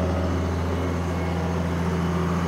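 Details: 1997 Kershaw Klipper right-of-way trimming machine, 27 years old, started: a steady, even low drone with no misses or knocks. The engine has caught and is running smoothly.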